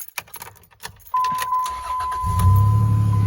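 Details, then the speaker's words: 2003 Ram 1500 with 3.7 V6 swapped in for the 4.7, after replacing a bad PCM whose internal voltage regulator had failed and caused no-charge and stalling: keys rattle, short crank, then a steady, even idle with no stumble. "she's running so what it was going on if I take the battery cable too loose he will shut off because the voltage regulator inside the PCM was dead"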